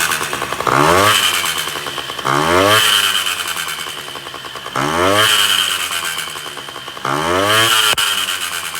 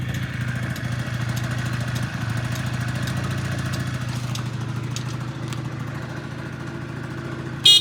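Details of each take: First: Honda Dio 34 two-stroke scooter after 30–40 km ride: screams and chatters harshly on throttle blips; owner first suspected exhaust or variator; cause was a failed small-end needle bearing with piston play. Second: Honda Dio 34 two-stroke scooter after repair (needle bearing, fuel filter, exhaust gasket replaced) for crackling and knocking under throttle: even, buzzy idle with a steady beat and no knocking or rattle.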